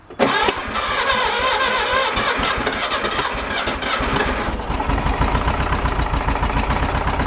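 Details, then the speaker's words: 1966 VW Beetle engine being revived, oil light goes out: catches right away, then runs lumpy with an intermittent irregular tapping over idle; rough running, owners suspect a hanging valve and plan to check valve clearance. "I'm not sounding too promising so oil light goes out and it doesn't make the noise all the time it kind of comes and goes we're kind of thinking a valve is hanging up a little bit"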